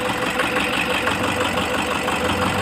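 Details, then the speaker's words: Toyota HiAce 2KD diesel idling with a lumpy, uneven clatter and a faint stumble. In a fuel-cut balance test, cylinder 4 shows no change in idle or sound, so the No. 4 injector is faulty and must be replaced. "So masabi natin defective injector natin kailangan natin na magpalit especially dito Sa number four"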